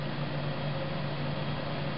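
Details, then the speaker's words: Seagate FreeAgent Desk 1TB external hard drive: faint, steady low hum with a soft hiss and no clicks or grinding; extremely quiet, spinning normally. "drive is very quiet we'll stop that so the drive is extremely quiet"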